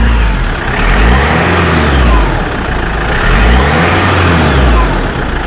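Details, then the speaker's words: Jeep Wrangler JK 2.8 CRD diesel after an oil and filter change: two smooth rev sweeps with no miss or knock, sounding much smoother than before the service. "here we go I certainly sounds much better than it did that's pretty good"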